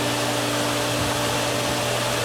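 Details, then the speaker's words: Pool pump after opening the winterized skimmers, west skimmer valve now fully open: an even, steady rushing hum with a constant low drone and no surging or gurgling. The pump has caught prime and has stabilized. "the valve is open fully. Give that a couple of seconds there. And it looks like it's stabilized."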